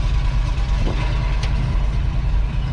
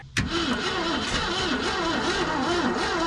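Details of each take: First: Abandoned 1990 Ford F600 box truck, carbureted big petrol engine, first run after sitting: deep, steady low rumble with an even beat and no knocks or rattles; motor sounds good, normal running. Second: Abandoned 1990 Ford F600 box truck, long-sitting, fuel and spark confirmed; starter turns the engine over slowly in a lazy, uneven rhythm for several seconds without firing: slow crank, no start, owner suspects too slow for compression.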